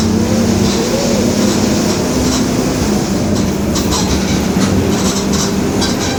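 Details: Low droning growl under steady road rumble while driving, from a worn rear differential, on a 2021 Marcopolo Torino S city bus body on a Mercedes-Benz OF-1721 BlueTec 5 chassis.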